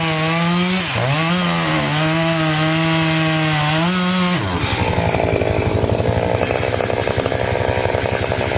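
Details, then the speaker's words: Two-stroke chainsaw holds a steady high scream, then bogs into a ragged rasping cut through a dirty, sandy log; the owner had cleaned some dirt off first. The sand is dulling the chain as the cutting goes on. "all right so definitely getting dull as we go there comes all that stand"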